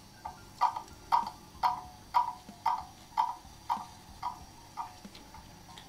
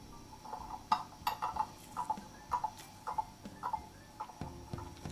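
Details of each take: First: German mantle clock that stopped after running down, crutch and pallets being adjusted: crisp ticks about two per second fading and returning unevenly; escapement not yet in beat. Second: Beat amplifier on German mantle clock after crutch and pallet adjustment (clock had stopped after running down while owners away), movement wound, pendulum bob refitted: light tick-tock about two beats a second, even, escapement running steadily in beat.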